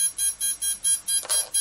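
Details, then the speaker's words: Tarot ZYX flybarless controller powered through the ESC on channel one, before binding a DSMX satellite receiver with DX8/DX6i: rapid even high-pitched beeps, about four a second, as the ESC warns it has no valid receiver signal. "we're going to power up the ESC you got three lights here that's my ESC complaining that there's something wrong"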